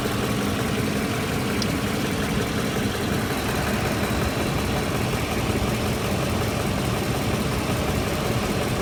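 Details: 2006 Ford F-150 idling at about 625 rpm, hot after 45 minutes of driving at about 109 degrees, visibly shaking; low, heavy, uneven idle rumble; rough idle, cause not pinned down.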